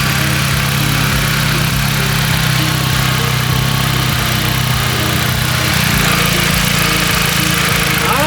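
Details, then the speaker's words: Jeep after a second power steering pump replacement and air bleed, wheel turned at idle: a steady, even idle with no rising whine, only the small normal groan of a working system; steering sounds healthy. "Not too bad. I don't think we hear anything. Sounds pretty good to me."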